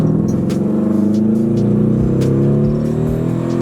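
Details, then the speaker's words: Turbocharged 1990 Mazda Miata on MegaSquirt, cooling system filled with Mountain Dew instead of coolant, around 135 on temperature: floored, rough strained drone whose pitch barely climbs, badly down on power, heavy smoke; cause not established. "Oh man, that's terrible. It sounds awful. I was flooring it, dude."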